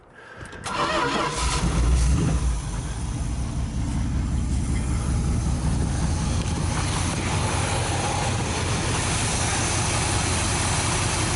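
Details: 1973 Dodge D100 V8, after an ignition box replacement and new fuel line in place of 34-year-old weather-cracked line: cranks briefly, catches within a second and settles into a steady, even idle with no misses. Normal start and idle.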